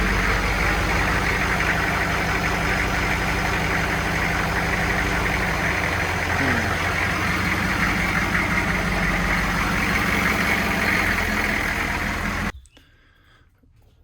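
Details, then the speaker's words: Humvee diesel after fuel filter and CDR valve change cranks nicely and holds a steady, even idle with no miss or knock, though a transmission fluid leak, possibly from a corroded cooler, now appears. "it's cranking up nice now fix one problem you get another"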